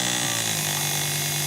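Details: Test motor driven by a repaired Miller 180K welder field current regulator board, PWM speed set by potentiometer, about 1.3 A: steady even high whine at constant speed, no surging; regulator driving it properly.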